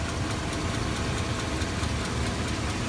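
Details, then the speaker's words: 2002 Chevy Avalanche 5.3L V8, warm, service engine soon light on but not flashing: light, quick ticking over the steady idle, all the time from start-up, left side; owner suspects a cracked manifold, muffler or valve rollers. Cause suspected, not confirmed. "that sounds like a manifold but to me that sounds like a manifold it's cracked but but the light won't go off now and it's ticking all the time when you start up too just on the left side"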